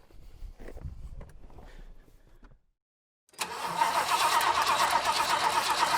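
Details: 1966 Lincoln Continental V8, first start after a decade in storage, running on an added electric fuel pump after pushrod, fuel pump and fuel line problems: a few seconds of slow cranking, a short pause, then it fires and settles into a steady, even idle; normal start-up.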